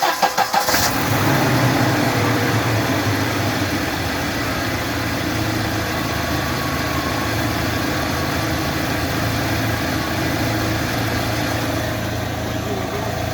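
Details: 2017 UAZ Patriot cold start after standing an hour to an hour and a half, checking an unexplained engine knock: the engine fires and settles to a steady idle with a fast, light knock ticking through it; cause unknown.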